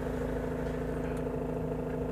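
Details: Mahindra XUV500 W8 diesel that cranked but wouldn't start with flashing check-engine light, now running after clearing codes P183F/P1832/P183B with a scanner: steady even low idle hum, constant pitch, no misses or knocks.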